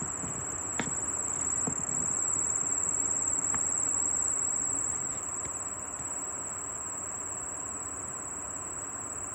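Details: Air conditioner indoor unit running with its fan turning: regular scratchy plastic-rubbing chirp, three to four per second, from the left-side fan shaft bearing area; fix is replacing that part.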